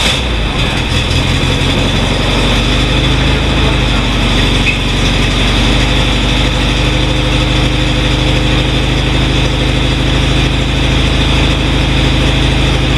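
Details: 1967 VW, unstarted for about a week: deep, even flat-four rumble holding steady with no misses or knocks; started fine after sitting, normal idle.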